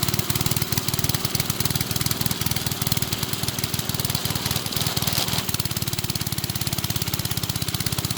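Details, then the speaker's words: Briggs and Stratton-powered rotavator, thought to be from the 1970s, stood about 4 years unused, started from cold with a bit more throttle: rapid, even single-cylinder putter holding steady, no misses or knocks; normal running. "So let's fire it up from cold and see if it can you know, do what it's meant to. Okay, go on. Bit more throttle. Oh yeah."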